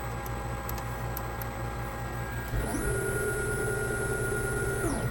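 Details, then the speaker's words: 7.5 kW 6000 RPM three-phase 380 V spindle servo motor and drive jogging at 2000 RPM: it spools up to a clean, steady hum with a faint high whine, holds speed evenly and winds down; pretty smooth, healthy running. "Pretty smooth. So I think it's uh it's in speed mode and uh we should see that in the parameters here usually the beginning."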